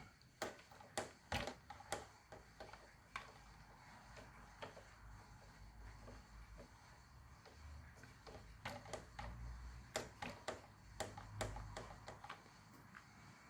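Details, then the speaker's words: Hobby-grade RC conversion of a Mini Cooper S toy car: a faint whirr with irregular sharp knocks and clicks while driving. Foam at the suspension didn't help; suspected flat spots on a front tyre and wheel play; the bodywork seems to amplify it. "uh that doesn't seem to make any difference it still makes the knocking noise i will just run it without the bodywork on it because the the bodywork seems to amplify the noise"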